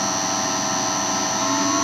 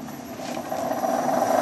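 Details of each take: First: 1966 Hitachi three-phase lathe motor on VFD after rebuild with new NTN 6306 bearings and degreased coils: smooth steady hum with even high whine, no groan or rumble; much quieter, bearings still breaking in. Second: 1.5 hp 1966 Hitachi three-phase lathe motor run from a VFD: quiet for the first 30–45 seconds, then a howl rising in pitch and loudness over a rough groan, bearings suspected shot.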